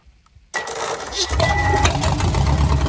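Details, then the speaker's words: Engine reported to have a knock, started with fuel poured in and oil pressure line kinked off: fires after half a second and settles into a smooth, even rumble with no knocking heard; normal running. "I don't hear no knocking. Don't hear no Rolling Stones."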